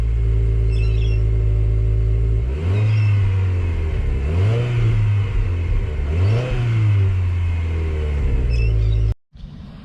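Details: New 2022 Subaru WRX, owned about a week: deep, steady engine drone rises and falls through three smooth revs with an even exhaust note and no knocks or rattles; stock exhaust, which the owner finds underwhelming.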